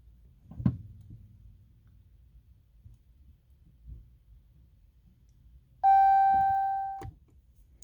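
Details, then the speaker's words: 2020 Hellcat Redeye widebody with 300 miles, won't start, stuck in park with a service transmission and auto park disabled message: one clear chime for about a second in a quiet cabin. Dash warning; cause not pinned down. "but when i try to start it nothing happens press break and push it again auto park disabled"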